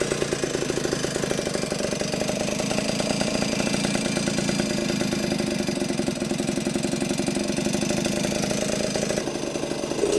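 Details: Vintage Yamaha GT80 Enduro (1977–79, exact year unknown), small two-stroke, first start after sitting unused a while, oil just changed, on choke: starts easily, crisp even popping with light rattle on top, little smoke; normal regular idle.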